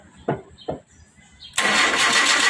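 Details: 2010 Kia Rio that would not start, after replacing the fuel pump: a couple of short cranking bursts, then the engine catches and settles into a steady, even run once fuel arrives.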